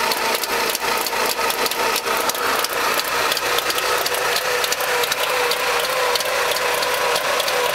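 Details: Trabant two-stroke engine at idle: sharp, busy, rapid ticking and rattling with little low rumble, an abnormal engine noise of unknown cause.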